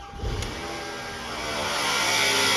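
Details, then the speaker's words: Truck idling with a loud steady rushing whir, more hiss than rumble, that the owner reported as a loud noise; diagnosed as a worn alternator bearing, to be verified by removing the belt and spinning the alternator. "oh yeah it's loud that's gonna be an alternator i'm setting it off that is uh yeah it sounds like an alternator"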